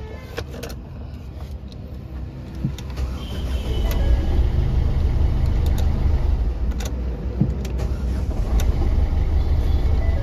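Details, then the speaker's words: Ford EcoSport diesel, sat long, check-engine and oil lights on, oil possibly low: starts and settles into heavy low knock about three times a second at idle, before engine teardown. "দ্বিতীয় কথা ইঞ্জিনে খুব sound আছে। করে sound হচ্ছে।"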